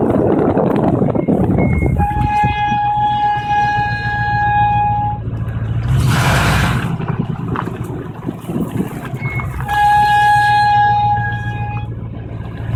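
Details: 1994 Chevy 1500 4x4 with nearly new drum brakes; two loud steady squeals when braking, only after driving over half an hour, quiet when cold; owner suspects heat or needing brakes bled.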